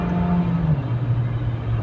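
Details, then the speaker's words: 1988 Saab 900 Turbo cabrio accelerating after a downshift: strong steady low engine drone, pulling firmly and smoothly through the gear; healthy under load. "Nie, no ciągnie, powiem. Kurczę. Ciągnie."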